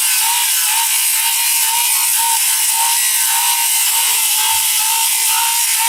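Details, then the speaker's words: Diablo 7-1/4 in 24-tooth framing blade on a cordless circular saw cutting flashing, shingles and lag bolts; steady high whine with scraping bite through metal and shingle, pitch holding firm, no bogging. Blade not even hot afterward, clean cut. "as you can see straight through flashing shingles lag bolts oh my god i didn't realize i was in there"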